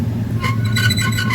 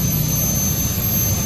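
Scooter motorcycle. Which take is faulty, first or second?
first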